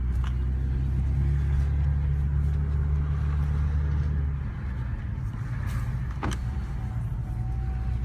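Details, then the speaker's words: BMW 335i after restarting following a cold-start misfire episode: a smooth, even low hum with no stumble; the engine sounds back to normal. "Engine sounds back normal."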